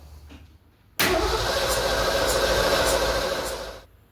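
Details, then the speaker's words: 1965 Ford Mustang, freshly rebuilt 289 V8 first start: starter spins an even churn about three beats a second for three seconds, never catching; cranks but no start, fuel not yet reaching carburetor. "But if we get a good new fuel pump, this thing ought to start getting fuel up here pretty quickly. So let's try the spin it over method."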